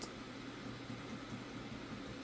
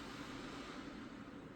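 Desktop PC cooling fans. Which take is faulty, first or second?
first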